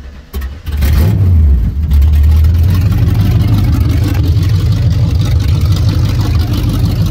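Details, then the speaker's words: Fourth-gen Camaro 350 small block with long tube open headers (wrapped), newly fitted headers and plug wires, owner notes some oil pressure trouble; fired up, loud deep uneven V8 burble with lumpy beat, open header exhaust rumble. "as you can hear this beast [ __ ] rumbles"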